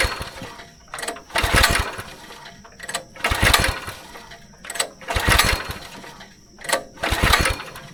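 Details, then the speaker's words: Go-kart small engine sitting about 3 years, carburetor partly rebuilt, tank drained and refilled with fresh fuel, ignition on and primed, choke lever left off: slow, uneven cranking bursts that never catch; cranks but no start. "Quick mistake I just realized, I forgot to put the choke lever on."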